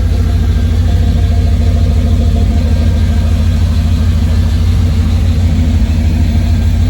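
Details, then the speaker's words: 33-year-old 1991 GMC truck, hot after test drive following fuel filter change, recorded underneath at exhaust: deep steady V8 idle, no misses, ticks or leaks; owner suspects rust in original tank, fuel low. "I think it sounds pretty good to me."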